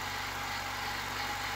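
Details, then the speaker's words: Honda Civic EK hatch after reassembly, with new throw-out bearing still sounding loud; even, smooth, quiet idle with a soft hiss, no misses, knocks or ticks; engine sounds healthy. "stronger this time [Applause] nice and quiet"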